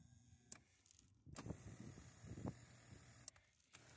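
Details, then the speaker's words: Parts car power seat, buttons broken: low electric motor whirr for about two seconds between light clicks, driving smoothly without straining; seat motor works in all directions, normal. "But check that out. It works in all directions, which is awesome."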